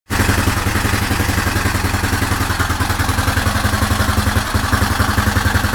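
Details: Suzuki DR750 big single at steady idle, roughly four thumps a second, with a light mechanical clatter on top; source unclear. Engine noise.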